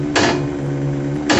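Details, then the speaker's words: Dry ice blasting machine, ice feed regulator being turned up: even motor hum holding a steady low pitch under short air-blast hisses; feed motor speeds up to push more ice and sounds smooth and healthy. "as you can hear as I turn that up the motor gets faster and by default that's pumping more ice into it"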